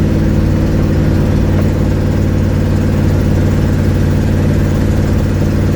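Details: 1972 Ford Mustang cruising home, phone on dash; deep steady rumble with rough puffing pulse about 220 a minute: exhaust leak.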